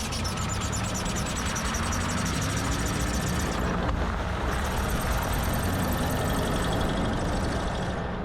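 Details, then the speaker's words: 2007 Ford Ranger PJ rolling at low speed: a rhythmic high chirping squeak, about four a second, from a badly worn rear driveshaft universal joint; all three rear U-joints replaced. "what's up guys the range has been stuck in the garage for most of this week after it started making a weird squeaking noise at low speeds that sounded a little something like this"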